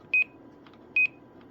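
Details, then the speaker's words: K-PO DX 5000+ CB/10-meter radio with an added 2510 roger beep module, heard on unkeying the plugged-in mic; two quick high-pitched beeps each release, repeating cleanly about once a second: normal roger beep. "So I did put a Roger beep in it. It's a little 2510 beep."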